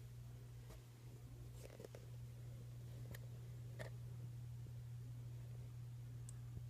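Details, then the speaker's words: 1942 Philco 42-1008 code 122 tube radio, recapped, first power-up through a series light bulb with volume down as tubes warm: faint steady low hum from the speaker under room noise; speaker hum. "So let's fire it up. Speaker's humming."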